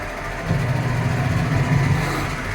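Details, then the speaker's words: American Home automatic washing machine, repaired for not draining, on spin-dry test: drain motor now pulls and the tub spins together with the pulsator, steady low motor hum with no grinding or knocking; spin engages properly, though wash remains noisy. "so Ayan gumana na bumatak na yung drain motor niya hindi na siya pumapasok o lumalapit doon sa drain bub so Ayan umiikot na nakasama Y tab"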